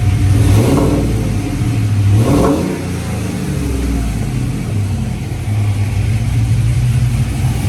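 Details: GMC truck after repair: blown, melted cylinder 2 direct-injector seals leaked compression, mimicking lifter tick; injector and seals replaced. Deep, even revving through blips with no ticking left, engine healthy.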